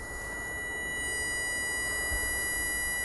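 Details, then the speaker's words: Common rail fuel pressure control solenoid valve, checked for code P0088 (fuel pressure too high), driven by a PWM power supply raised from 56%: a thin, steady high whine growing louder shows the coil works as an electromagnet. "no i przy tej regulacji słychać że ta cewka piszczy czyli wiemy że on działa"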